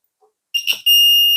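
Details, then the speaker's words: Desulfation/battery welder unit, 2023 auto-detect volt model, clamps deliberately connected reversed while unit is off: short chirp then steady high-pitched continuous warning beep, no LED indication on this version. "เราคี้ปิดขั้วนะครับก็จะมีเสียงเตือนแต่ว่าจะไม่มีLEDโชว์เหมือนตู้รุ่นFullOptionรุ่นที่แล้วนะครับ"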